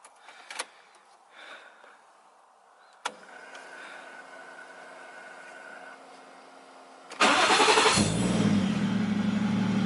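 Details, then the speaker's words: Nissan 240SX S13 with 1JZ VVTi swap, after reinforced rear subframe, exhaust, driveshaft and sway bar reinstalled: starter cranks briefly, engine catches into a strong steady idle with no knocks or misses; healthy start. "the car looks good it sounds good oh my god this thing is being here for a little bit right away"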